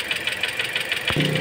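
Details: Toyota Altis at idle after an AC compressor replacement left the cooling system without coolant, now with bubbles that persist after refill and bleeding: sharp metallic ticking about six per second, in time with the engine; knocking at idle, cause unknown.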